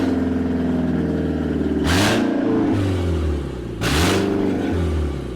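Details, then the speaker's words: BMW E46 running with no exhaust system fitted: two quick revs bark loud and raspy, rising and falling sharply over a blatty idle, sounding like a tractor; loud exhaust from missing exhaust system, before an exhaust is installed. "what a days it's got absolutely no exhaust on and it sounds like that it sounds horrible"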